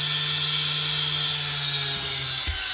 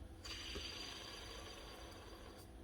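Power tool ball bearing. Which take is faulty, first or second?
second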